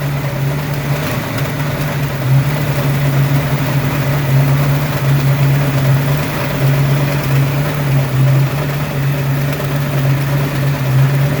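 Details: Ford 302 5.0 V8, never run before, idling: steady low drone with rough uneven pulse; internal noise persists with belts off, unchanged pulling each plug wire; owner suspects piston slap, broken wrist pin, timing chain or torque converter area, unconfirmed.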